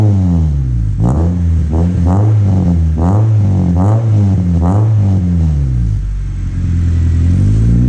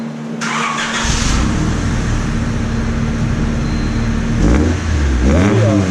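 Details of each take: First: Honda Civic after an aftermarket muffler was welded in to replace the stock one, started on the ground: a loud, deep, raspy exhaust barks through quick revs and returns to a rumbling idle. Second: Honda Civic with stock muffler, before aftermarket muffler install: steady, even low-drone idle with two clean rev blips rising and falling smoothly.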